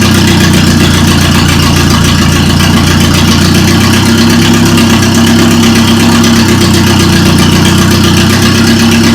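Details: Toyota Corolla running after engine reinstall: loud, steady idle with an even low hum and constant pitch, no ticking or misfire; engine running smoothly.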